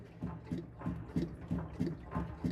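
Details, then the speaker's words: Citroen C3 with suspension noise over uneven ground, body rocked by hand: dull, hollow knocks about three per second; worn, loose stabilizer bar bushing knocking. "mas a bucha da barra estabilizadora tá com fome Olha aí"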